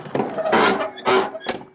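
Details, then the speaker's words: Old Chevy 3/4-ton fifth-wheel work truck with sagging doors, before fix: two short groaning squeaks with dull thuds as the door swings and shuts, dry worn hinges creaking; to be lubricated with silicone spray and white lithium grease. "sounds like it's dying man so we're going to fix this and it's a quick easy fix"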